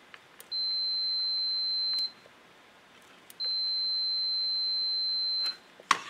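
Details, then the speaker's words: Air switch for a gas burner (vertical-mount diaphragm), multimeter on continuity across its micro switch: two clean, steady high beeps of about 1.5–2 s as very light suction closes the switch; normal continuity, contacts working properly. "the other thing I've got here is I've got my multimeter and it's set on continuity you can hear it ring out if we connect the leads of our meter onto this micro switch"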